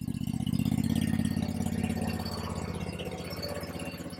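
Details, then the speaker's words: Kawasaki V-twin (691, a near-identical parts motor for the 726) on a Bad Boy zero-turn mower rebuilt after a fire: even, steady idle with a smooth low thump, no knocks or misses, charging about 14 volts; running healthy, normal idle. "Let's see what else we got. Oh, she sounds good. She sounds real good."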